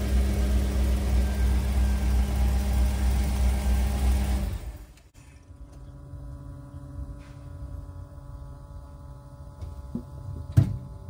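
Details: 1991 Ford Econoline E350 dual-tank van restarted after an in-place fuel tank selector valve repair and tank switching: smooth, even low idle rumble for several seconds, no misses or knocks, then shut off; normal idle.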